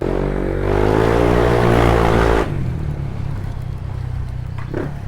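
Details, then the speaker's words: Honda Click scooter after full maintenance with SRF pulley fitted, tested outside: engine note climbs smoothly under throttle then eases to a steady lower drone, no rattles or slipping; normal running. "So mga par, bali all goods na yung Honda Click. Ayan o. Testing natin sa labas yung bolt on na to mga par."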